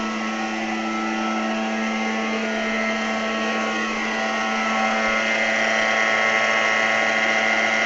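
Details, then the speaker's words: NordicTrack treadmill in use since 2005, motor run at 8 mph with belt spring disconnected so pulley not turning; extremely loud steady whine with strong low hum and bright high tones; drive motor confirmed as the noise source, to be replaced. "as you can hear it's Extremely Loud and of course this pulley is not turning because we disconnected the spring so this confirmed to us and to the sales customer service person that it's the motor"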